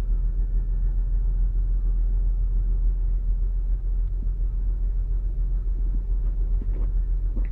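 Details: 2008 Saturn Outlook just after cold start: deep rumble with an uneven, loping beat instead of smooth idle, likely misfiring; owner wonders whether commanded air/fuel ratio dips during open loop, a computer glitch, cause it.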